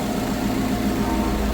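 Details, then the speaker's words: Car running a Holley Sniper EFI with little tuning (TPS and IAC only) and a coolant leak: steady idle with a light, quick sewing-machine tick, owner says just the injectors being a little loud; normal injector ticking. "It's running like a, just sounds like a sewing machine. It's just the injectors making a little noise."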